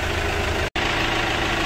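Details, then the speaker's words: Chevrolet Captiva diesel idling after replacing seized water pump, broken timing belt, timing roller and tensioner: steady even diesel clatter with no knocks or misses, brief gap in recording; engine runs healthy. "Mantap lagi saudara dulu mesin nyala nanti coba kita gas mobil ya"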